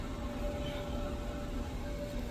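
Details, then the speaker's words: Used gas clothes dryer bought off Marketplace, running before conversion to wood-boiler heat: even low rumble of the tumbling drum with steady motor hum, no knocks or scraping. Normal running. "so this is closed dryer it is running right now I'm sure you can hear I'm sure you can hear that on the the video here"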